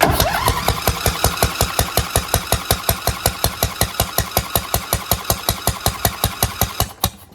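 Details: Craftsman DLT2000 lawn tractor on a fresh battery, ether sprayed in: even, rapid puffs about three a second, never catches; pops heard, blown head gasket suspected, and mud-water spurting suggests water in the cylinder.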